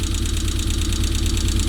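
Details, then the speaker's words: Rover engine in an MG, first run after no-start diagnosis, with some smoke (owner hopes it is oil residue from the work): low, lumpy idle with a steady thumping pulse, engine shaking quite a lot, cause not yet found. "but it's running there is a bit of shake going on so the engine i don't pick that up but the engine is shaking quite a lot"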